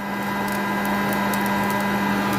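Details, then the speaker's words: Coffee beans roasting at second crack, chamber around 490°F: steady roaster fan hum with scattered faint sharp snaps; roast stopped and cool cycle started to avoid oily beans. "all right so we are at second crack I don't want to get the beans too oily so I'm going to go ahead and run the cool cycle"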